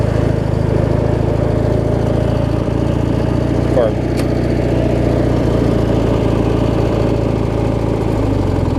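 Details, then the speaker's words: Twenty-year-old Craftsman hydrostatic mower with a Briggs 19.5 opposed twin, after drive belt replacement: a smooth, even idle with a steady low drone and no misfire or knock. It starts and runs fine. "it's pretty darn good for what it is I mean you hear it start run roll on with it there"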